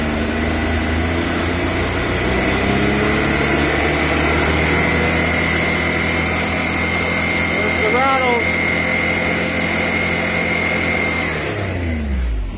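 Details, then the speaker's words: 2020 Can-Am X3 Turbo RR in neutral, revved to about 5,000 rpm, sound meter behind the driver's head: loud metallic rattle over the steady engine, likely CVT clutch noise; seems better at 6,000–7,000 rpm. "that's the five zone that that's the spot where you get that ugly-ass rattle"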